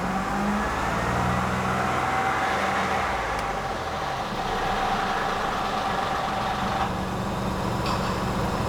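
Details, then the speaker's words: 2016 Mini Cooper 3-cylinder with multiple misfires and drivetrain malfunction light: rough, uneven running with a horrible stumbling noise around 2,500 RPM as cylinders 1 and 3 misfire; possible mechanical failure suspected. "So, drivetrain malfunction sets. You can hear the horrible noise that it makes. Right around 2,500 RPM, and then it gets stuck. And I believe the misfires most likely are going to follow."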